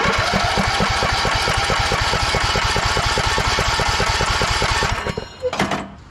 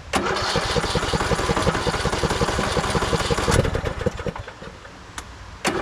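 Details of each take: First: 2014 Craftsman T1600 lawn tractor, during compression test after fixing the broken blade safety switch: even cranking with regular compression beats about 3.5 per second for five seconds; compression reads about 80, turns over normally. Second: 2014 Craftsman T1600 lawn tractor, dirty fuel filter, battery doubtful: starter cranks in fast rhythmic chugs for three seconds without catching, pauses, cranks again; hard start, owner suspects a dirty carb or battery, not confirmed.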